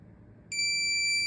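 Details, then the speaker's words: Minelab Profind 40 pinpointer, plus button held 3 seconds while on: one steady high beep lasting about a second confirms ferrous discrimination is enabled, so iron now gives an interrupted tone. "ஒரு long beep வரும். அதுக்கப்புறம் இப்போ இந்த function enable ஆயிடுச்சு, ferrous function."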